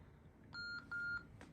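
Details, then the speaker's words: 1997 Panasonic KX-TCM422 analog cordless phone base, changing the tone/pulse dial mode setting: two short, clear high beeps, each about a quarter second, in a quiet room, confirming the setting was already stored and unchanged. "And then once again, 1 beep if it's changed, 2 beeps if it's the same, and this time it comes out of a base because we were changing a base setting."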